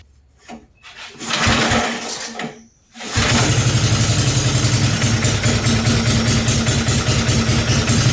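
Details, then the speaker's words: Briggs 5hp engine on a homemade mini bike with a shop-built exhaust, first start-up: handling noise, a pop/little backfire, then an even, steady single-cylinder chug; runs cleanly and sounds good. "This thing sounds good."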